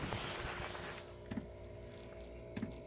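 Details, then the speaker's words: Diesel heater in a Sprinter camper van during startup: two soft taps about 1.3 seconds apart over a steady hum; the fuel pump under the vehicle taps every few seconds while pumping, normal. "that tapping sound that's the fuel pump underneath the vehicle every few seconds it makes a tap noise that's because it's pumping"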